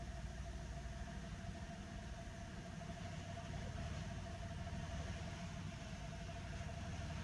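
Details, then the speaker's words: Toyota Belta, 1.0 L three-cylinder, idling around 800 rpm with a low, uneven rumble and irregular pulsing; the car shakes abnormally. Complaint is a rough idle with intermittent stalling, and the scan-tool data looks normal. "As soon as start the car I can feel that rough idling condition that mean car is shaking and vibrating a little bit abnormally."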